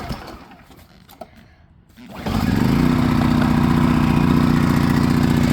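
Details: Predator 1400 W inverter generator, pull-started with choke on, eco throttle off and tank vent open: catches after a brief crank, then settles into a steady, even drone with no misses or knocks; normal cold start.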